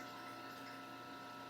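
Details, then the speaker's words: Homemade rotary phase converter idler motor after removing the extra run capacitor again; even, steady hum at constant pitch, earlier surging noise gone, run amperage stable rather than fluctuating; normal running. "And I don't really hear the motor making the almost like a little surgy noise like it was. So I'm going to call that good there."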